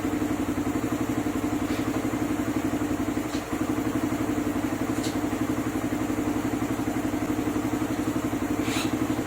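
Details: Suzuki Raider 150 idling after a clutch housing and lining change (an earlier housing was oblong and had to be machined again): steady single-cylinder idle about four beats per second, even, no rattle; engine now quiet, all good.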